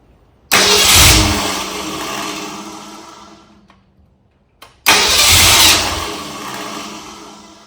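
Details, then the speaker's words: 1964 Ford Galaxie engine on a run stand during wiring/ignition troubleshooting: fires, runs roughly, fades and dies within seconds, restarts and fades again; stalling, cause unknown. "It just died. And I don't know why."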